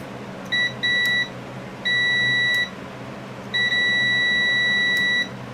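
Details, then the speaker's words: Sears Suburban SS16 (16 hp Onan twin) ignition key switch on start, multimeter continuity: beeps cut in and out in uneven bursts, worn dirty contacts cleaning up as the key is worked; owner suspects the switch leaves the coil unpowered, so no spark. "So, like I say, the more I play with it, the more it's cleaning them contacts up a little bit."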